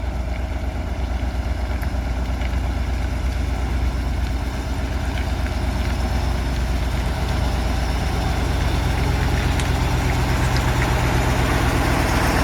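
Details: Tatra 815 V10 diesel truck, back after engine repair: deep, even rumble with a steady, regular firing beat and no knocks or misses; idling healthy.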